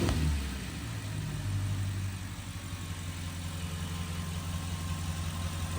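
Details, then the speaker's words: Audi S8 4.0 TFSI V8, first start after spark plug replacement; steady even idle with smooth low rumble, no stumbles or misfire; engine sounding very good, job done correctly. "as you can see and hear, the engine is working perfectly. I have no misfire. The engine is sounding very good."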